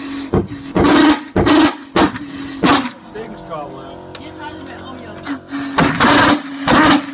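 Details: Hobbyking pulse jet on regular unleaded fuel: short roaring bursts with a buzzing drone under a second each, then dies away; ignites but will not self-sustain at any air pressure tried.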